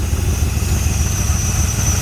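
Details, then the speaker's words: 1981 Ford Mustang 5.0 V8 revived after sitting, with a different fuel pump fitted and timing not fully adjustable because a heater hose is in the way. A steady, even rumble, slightly fast, with no knocks or misses. Normal, healthy idle. "the wheel sounds healthy I'm happy it's running it will drive"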